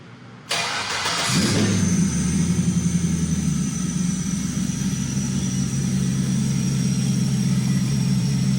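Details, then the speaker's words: GM 5.3L V8 before a cam swap, with good oil pressure and a quiet valvetrain: cranks, fires and flares, then settles into a smooth, even idle with no top-end ticking; sounds healthy. "Motor sounds really good. Let the idle come down. Motor sounds really good."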